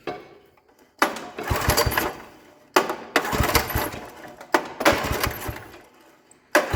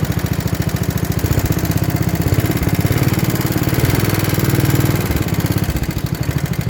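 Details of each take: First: 1960s Toro Professional 70 reel mower, points cleaned, spark present, ether in the carb: four pull-cord bursts, each a brief rough rasp dying away without catching; cranks but will not start. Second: 1960s Toro Professional 70 reel mower, 8 hp engine, after fuel system cleaning and carburettor rebuild (high idle two and a half turns, low idle one and a quarter): small single-cylinder thumps evenly with no misses or hunting. Normal idle.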